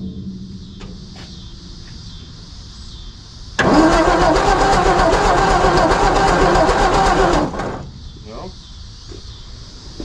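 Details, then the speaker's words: 1954 Ford F250 truck rescued from the crusher, with a new battery and new coil: steady starter cranking about four seconds that never catches; no spark, and the owner suspects the ballast resistor or the points; crank no start, no spark. "You guys gonna see if there's spark for me? No spark. Ain't no spark, man."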